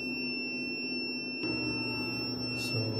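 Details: Snadi 3 kW inverter beeping nonstop with a steady piercing high tone, though it is not muted, its output is normal and the battery reads 26.5 V; the inverter buzzer is faulty, not a real alarm.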